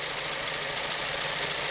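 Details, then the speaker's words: 2014 VW Jetta 1.8L TSI (CPR) at idle with broken ignition coil connector: uneven, lumpy idle with steady stumbling beat over hiss, engine visibly shaking; codes P0304 cylinder 4 misfire and ignition coil secondary circuit. "and we got two trouble codes here cylinder four misfire detected and secondary circuit for ignition coil"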